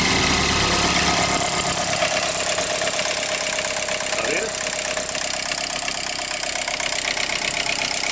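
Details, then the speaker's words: Range Rover Evoque 2.0 turbo Ford direct-injection engine at idle, warming: steady light rapping at front of engine about three per second, felt at pulleys; worn VVT phasers knocking. "você colocar a mão bem aqui, ó, você sente ela batendo, ó. Sente as polias batendo. Viu o barulho?"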